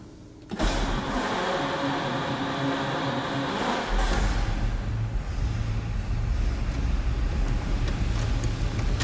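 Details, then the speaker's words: 1947 Lincoln Continental club coupe V12, start via pull knob and separate starter: starter catches, fires quickly, settles into smooth, even low idle with no knocks or misses; car needs some mechanical work but runs smoothly. "All right, fired up. Kind of tough to hear. We'll get around to the back and peek underneath the hood. For a V12, they run very smooth."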